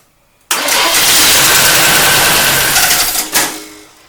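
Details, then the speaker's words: 1972 Camaro barn find sitting 19 years, cranking: harsh high rasping scrape rides over the cranking for about three seconds then stops; cooling fan blade striking the AC line that had been moved. "I think it might be this stupid fan. I don't know what it could be hitting, but oh, nah, it's hitting that. Let's try it again. It's hitting the AC line, which I moved."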